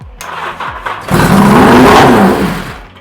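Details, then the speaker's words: Yamaha XJ650 first start after carbs removed, starter previously slow: catches after a few cranks and flares to a loud, high, unsteady rev instead of settling; still needs adjustment, carbs likely out of sync. "That is revvy as fuck. Good sign."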